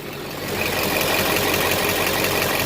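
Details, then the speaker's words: Duramax LBZ diesel after fuel filter change to a CAT filter with aftermarket adapter, no leaks: engine settles into a smooth, even idle with no stumble or miss; running normally. "leaks there so I would say your good luck sounds good"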